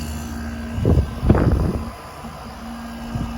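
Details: Quasar (Panasonic) 5000 BTU window air conditioner made in 1998–1999, previously warmed up, on low cool with the compressor on: quiet low hum and steady drone with some handling thumps, running evenly, blowing cold air.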